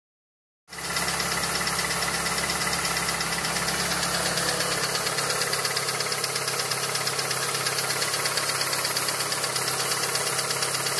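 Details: Mitsubishi Evo with a reconditioned Evo 7 engine at 50,000 km on 5W30 oil, idling: a light, fairly regular tick about three per second, apparently near cylinder 4, whose spark plug had a melted tip. Ticking for about 2,000 km; cause unknown.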